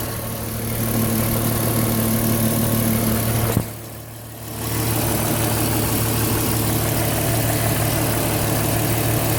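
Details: Porsche Cayenne engine at idle: a steady idle with a faint rhythmic pulse about three per second over the engine hum; the noise's source is unclear.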